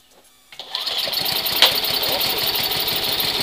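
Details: Hawk 250 single-cylinder cold start at 20°F: starts, then settles into a fast, even bark with no misses; it starts and runs fine in the cold.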